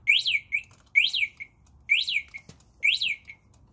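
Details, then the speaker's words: Rosso electric ATV Model X: a repeating high chirping beep about once a second with short echoes, the controller's warning of low battery charge or a charging problem. "yeah even even this noise that you hear right now that's your first indication that the battery is low and you have a low battery charge"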